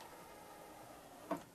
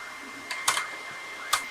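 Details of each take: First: Okay, let's go ahead and try to open it. I mean, it's not the quietest mechanism anymore. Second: Technics tape deck, deck two: pressing play gives only a few dry mechanical clicks over a thin steady whine, no tape sound, transport not turning; suspected broken gear, drive belt found off its pulley.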